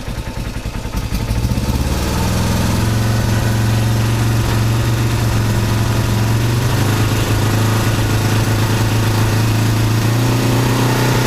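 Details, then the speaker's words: 1970 Honda CB450 after gasoline leaked into the engine oil from a petcock left on reserve: the engine settles into a steady, even idle with a deep regular beat and light valve clicking, which is considered fine. Normal idle. "A little bit clicky, but that's probably good. Hear the clicky? That's good."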